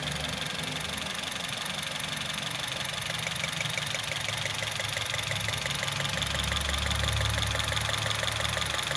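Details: Honda City i-VTEC at idle, rough with steady stumble about three times a second over engine note; misfire from bad coil pack.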